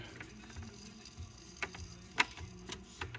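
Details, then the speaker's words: Portable Trav-ler record player with three built-in speakers: soft ticking and sharper clacks as the changer arm cycles without hanging up; working reliably and expected to free up with use. "It seems to be working pretty reliably. And probably the more I use it, the more it'll free itself up."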